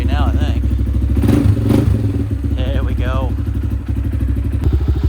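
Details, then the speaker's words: 2015 Honda CRF230 single, brought in not running, idling after refuelling, a fully charged battery and choke off: steady, even thumping idle with no misses or knocks; runs clean and healthy. "well we got her out here she seems to be running pretty good right now we'll have to give her a little test run and see how she goes"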